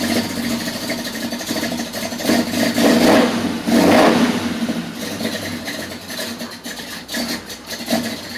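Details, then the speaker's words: Small block Chevy with HEI distributor moved a tooth while setting timing, very cold R43 plugs, old fuel: lumpy, uneven loping idle with a couple of blips; ignition timing still retarded, wants a little more advance. "wants this a little bit more she wants this a little bit more i should have pulled it around one more too"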